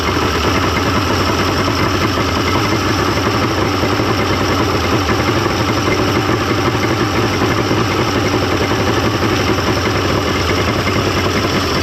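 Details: 1995 Mercury 200hp XR6 Blackmax two-stroke outboard, after timing adjustment and clearing carb jets: even steady burble, no misses, surging or hunting; runs much better than yesterday, normal idle.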